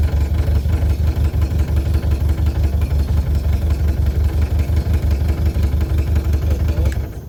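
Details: Outboard on a Powercat boat after engine swap, idling: uneven lumpy beat around three per second, firing irregularly; rough running like a misfire, though all plugs show good spark; cause unclear.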